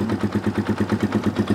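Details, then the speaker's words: Dirt bike, cold, barely above room temperature: slightly lumpy, uneven idle about eight beats a second; owner suspects lean idle circuit, says such bikes come lean from factory and need long warm-up. "they're they come very lean from the factory and they need a long time to warm up uh before they're good"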